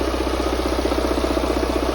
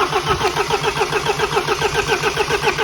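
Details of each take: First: Mini 1.6 N47 diesel after timing chain replacement (chain had snapped) and engine refit, fuel lines bled: even, steady diesel idle with a regular rapid pulse and no knocks or misses; engine runs fine. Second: Mini 1.6 N47 diesel after timing chain, guide and tensioner replacement and engine refit, with air in the opened fuel lines: long, even starter churning at about 3.5 beats a second with no firing.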